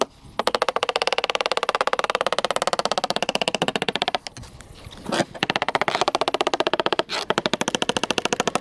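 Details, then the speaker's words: Halcyon 23 fiberglass sailboat deck tapped with a screwdriver near a screw: quick steady tapping, about ten a second, some spots dull and dead rather than crisp; no squish underfoot; soft core suspected, not confirmed. "Underfoot, it doesn't squish or anything. It's not giving under the pressure of my heels, but it's definitely got a thud to it."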